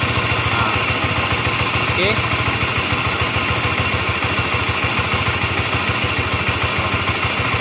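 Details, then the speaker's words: Honda CB-series engine (CBX/CBR/New CB) idling: loose clattery rattle over a steady beat, rough cam chain noise; screwdriver test on the tensioner shows it turning by itself, pointing to a worn cam chain tensioner/lifter. "Oke berarti ini gejalanya si litter ac-nya udah mulai ee kurang bagus gitu ini untuk yang suaranya kasar"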